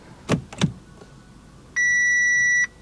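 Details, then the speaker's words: Audi RS5 salvage car, first start attempt with key in, brake held and button pressed: two dull clicks, then a steady dash beep, no cranking at all; the starter isn't even trying to turn (owner suspects the starter fuse). "hmm it's a bit anti-climatic won't it not trying i can even relay clicking interesting"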